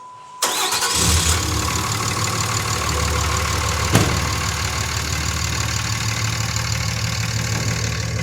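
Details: Cummins diesel pickup after shredded serpentine belt (power steering pump replaced by another shop the day before): belt reset so it no longer rubs the crank reluctor wheel; cranks, catches quickly, steady even idle, no squeal or slap.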